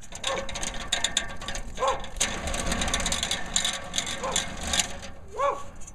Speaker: That one's a little wobbly, making some noise.